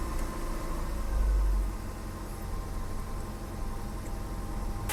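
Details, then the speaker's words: BMW E30 after replacing the control module, before retiming: low, even idle with a steady hum and no misfire stumble or hunting. It idles much smoother than before; normal idle. "that control module was definitely the move that was definitely an issue idle is so much better it's running smoother"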